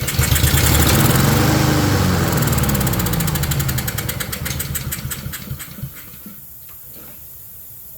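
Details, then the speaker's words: Honda self-propelled mower that won't start on fresh gas, tested to see if it will fire: catches on starting fluid, runs rough a few seconds, then dies. Has spark; fuel delivery fault, carburetor needing service. "Yep. Should have figured I have to do the dang carburetor. Ah, you fudger. See if she has the ability to fire."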